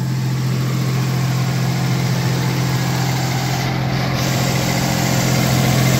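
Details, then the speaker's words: 1989 V6 Pajero after replacing the cracked, warped stock exhaust manifold that leaked with stainless steel extractors: smooth, even low rumble with no ticking or puffing; healthy, much quieter idle with sealed exhaust. "Beauty. Sounds fantastic."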